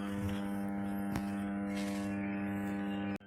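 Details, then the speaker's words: 1500 kVA 11 kV/415 V power transformer with on-load tap changer, running on load; steady deep hum with buzzy overtones, no crackle or rattle; normal magnetostriction core hum. "The transformer is on load and you can hear the humming noise is coming out from the transformer, and this is the cause of the magnetostriction."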